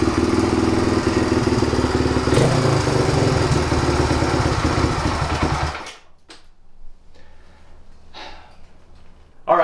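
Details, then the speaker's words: 1997 Suzuki DR350 single-cylinder dirt bike, neglected and previously caught fire, after idle speed and mixture screw adjustment: idle thump hunts and wavers, cuts out around six seconds, tends to backfire; unsteady idle, owner suspects worn-out carburetor. "I spent more time than I should have trying to make this run right by adjusting the idle speed control and the mixture screw underneath the carburetor right here it's better than it was but still has an unsteady idle and a tendency to backfire"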